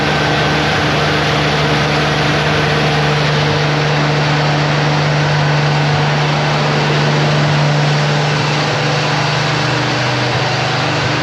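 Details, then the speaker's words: Lemonhead, long-dormant engine revived after under-dash wiring fix, smoking and possibly burning off old deposits: steady but slightly uneven idle with faint irregular lope, doesn't sound too terrible; cause unclear. Rough idle. "it runs I mean seriously it runs doesn't sound too terrible at this point um it even kind of sort of idled there for a while"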